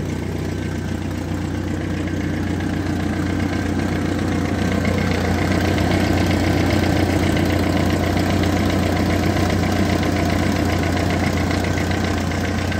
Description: Recently noticed a ticking/clicking noise coming from the front end of the engine bay.